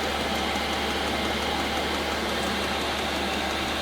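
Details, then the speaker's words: Chinese eBay diesel heater in a camper van, installed under the sofa, warming up: steady even roar with constant low drone and airy hiss, gradually getting noisier, no knocks or surging; normal running. "you can see and hear that it's kicking in enough [Music] it keeps getting gradually noisier and noisier"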